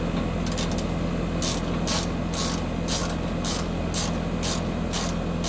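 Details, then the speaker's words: Heat pump outdoor unit just after replacing the start and run capacitors, about mid-60s°F outside: steady low compressor hum under a regular hiss about twice a second; compressor running normally, cold air at the registers. "all right so the sides closed up we can tell it's working because we can hear the compressor running"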